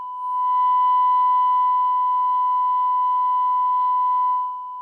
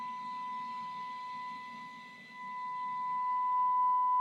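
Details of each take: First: Grundig 2147 radio after FM detector alignment: IF carrier with 1 kHz modulation, detector core set exactly to null; clean steady 1 kHz tone with no buzz or hiss, perfect sine once the noise-picking lead is removed; detector now properly aligned. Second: Grundig 2147 radio, FM detector alignment with signal generator feeding 10.7 MHz IF carrier modulated by 1 kHz sine: rough, buzzy distorted test tone shifting as the nearly removed detector core is turned, briefly louder, then quiet, then clean sine, worsening past it; detector misaligned.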